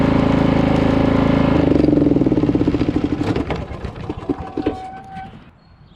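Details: Poulan PXT12538 lawn tractor started after heavy rain, with the fuel shutoff reopened, gas added and oil checked, fires and settles into an even single-cylinder putter, then winds down toward shutoff; the buyer found nothing wrong.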